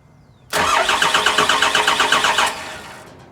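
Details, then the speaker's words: VP44 Cummins swapped truck (6.4 "Fummins"), 199k miles, rewired after a no-start, fuel pump powered: starter cranks steadily about 2.5 turns a second with no puffing or firing. Cranks, won't start; owner suspects the injectors need bleeding. "starter well that didn't start now you can you don't hear any puffing so um these injectors might need to be BL"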